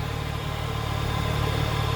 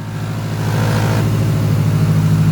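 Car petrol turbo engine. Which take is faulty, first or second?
second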